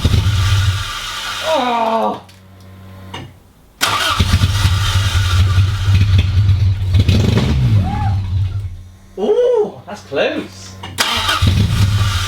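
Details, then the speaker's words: Mk1 Toyota MR2 first start in about 12 years, no exhaust fitted: hard start needing some pedal, then note sags and drops out before recovering into a lumpy, fluttering idle that clears as it runs; owner suspects lack of use. "it also is struggling to start without a little bit of pedal and then it struggles to idle slightly and it was a bit flattery and Jo Suri and then it seemed to clear as it went on so um lack of use I would have thought"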